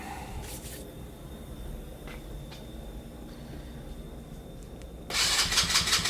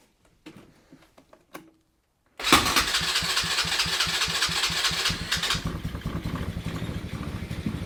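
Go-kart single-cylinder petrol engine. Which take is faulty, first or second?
first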